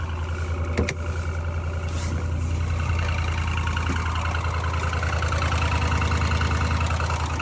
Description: 9:00 Running so bad it sounds like a diesel, 2019 F150 5.0